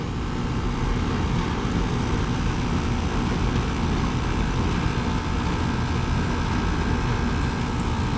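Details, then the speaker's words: 2010 Carrier GasPack (14 years old), cooling run on a 64-degree day after finding the no-heat cause; pressures well above freezing; loud steady even roar from fan and compressor, no knocks, rattles or surging: air conditioning working normally. "I'd say it's still working. The air conditioning is working. That's all we really needed to know."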